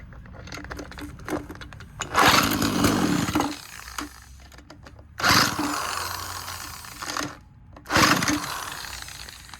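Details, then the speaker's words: Abandoned two-stroke weed eater power head on makeshift fuel supply, choked: fires in raspy bursts of a second or two between pauses, revving cleanly; runs well, better fuel system needed. "well I think I need to get a better fuel system but hey it ran fantastic"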